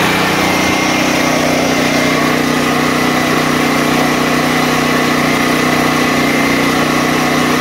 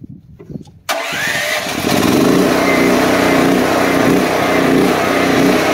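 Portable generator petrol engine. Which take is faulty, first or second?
second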